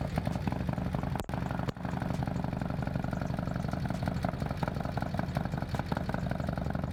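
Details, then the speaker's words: Harley-Davidson M8 with S&S 124 kit, first fire-up of the fresh engine: loud uneven clatter over a lumpy V-twin idle as the hydraulic lifters tick before building oil pressure; expected to quiet with heat cycles. "so basically it'll be noisy the lifters are gonna build pressure up so i'm gonna let it sit for now heat cycle and then it eventually gets quieter and quieter and quieter because the lifters build pressure"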